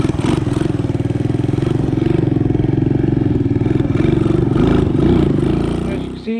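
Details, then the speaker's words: Honda ATC 200ES single-cylinder, long unused and previously dead, just fitted with a Chinese carburetor: fast even thumping about two per second, idle set too high; idle to be dialed back, air-fuel mixture may need adjusting. "And this, I just have the dial the idle back a little bit, and I might adjust the air fuel ratio just to get that carb dialed in a little bit better."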